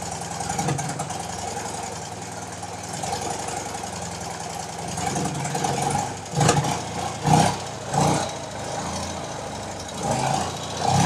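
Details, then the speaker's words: BMW R90/6 Airhead boxer after a top-end refresh and reseal with one valve and guide replaced, still cold, choke just taken off: a light quick tick over the idle that follows the revs. The top-end ticking returns, cause still unknown. "I just took the choke off and there's the ticking again"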